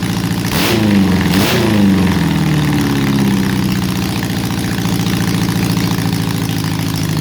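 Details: Restored Honda CB750 on its first runs after restoration, oil put in the cylinders, running a bit rich with one cylinder out: two blips, then a soft, lumpy, uneven idle; rough running, owner suspects a vacuum leak.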